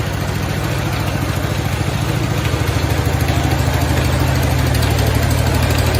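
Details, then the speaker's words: 1969 Cub Cadet 105 engine after reassembly, with the pulley no longer hammering on the crankshaft: a quick, even single-cylinder thump at about 200 beats a minute. The engine runs steadily and healthy; the earlier knocking was a deteriorating belt hitting something. "man that sounds a lot better now since that pulley's not hammering on that crankshaft"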